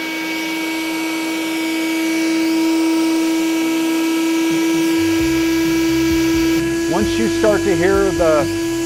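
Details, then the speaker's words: Electric pump inflating a Hobie Mirage iTrek inflatable kayak: steady high whine holding one pitch, signaling maximum inflation pressure reached; pump is turned off and valve closed. "electric pump whining that means it's at its max capacity for inflation so you're quickly going to remove the turn the pump off"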